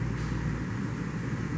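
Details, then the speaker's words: 2005 BMW 645Ci 4.4-litre V8 with new plugs and coils, cylinder 6 misfire code, idling in gear: deep, lumpy rumble stumbling unevenly; heavy misfires. "And we got misfires for days here. Look at that. That's pretty bad."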